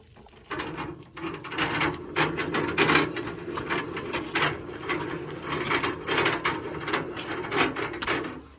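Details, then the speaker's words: Vehicle with a newly swapped carbureted engine. The rear end (rear axle) makes irregular bursts of gritty clicking and ratcheting, described as sounding like it is dying. Unhealthy grinding, cause not yet found. "Also, my rear end sounds like it's dying."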